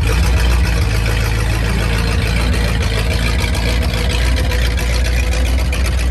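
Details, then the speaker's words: 1950 Ford flathead V8 flatbed dump truck, revived after sitting about 40 years, driving around the yard: even low rumble that stays steady while moving, with no knocking or misfire. Drives pretty good; normal running. "We got her driving. She drives pretty good around the yard."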